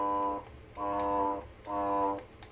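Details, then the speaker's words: Samsung vacuum cleaner on start-up gives three short buzzing hum bursts but never spins up, as if the motor is stuck. Owner suspects the bearings or something caught inside; he judged it not worth repairing. "so it's like the motor is stucked yeah so I believe maybe it's uh the bearings or maybe something get caught in the vacuum cleaner"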